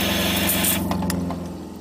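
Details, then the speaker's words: Jayco RV water pump that had run without pumping water, now primed; steady low electric hum runs evenly then winds down as the tap closes and the pump stops; normal running. "when i stop the water the pump stop and that's the way it should work"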